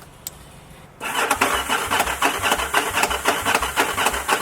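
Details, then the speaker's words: Yamaha V-Star 1100 auction motorcycle: cranking with a repeated clank about twice a second as the starter slips in and out, caused by a bad starter clutch. "Hear that clanking? The starter kind of going in and out, clank, clank, clank, clank. Bad starter clutch."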